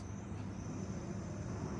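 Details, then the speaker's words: Crane slew drive running in second gear: a steady low drone from the slew rings with an even hum and no knocks or grinding. The slew-ring sound rises with each gear change, signalling normal operation in second gear. "I can hear the increase in the noise on from the slow Rings the slow rings has given me a sound that I've gone into my second gear"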